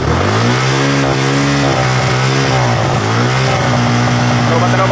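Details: Suzuki Gixxer 150 single-cylinder after stator repair, kick-started with weak battery: pulls up cleanly through two smooth revs and settles back each time without stumbling; holds running and sounds healthy.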